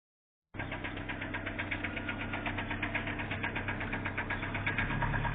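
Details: Engine knock at idle, a sharp steady knock about four times a second from a broken-off piston skirt slapping the bore.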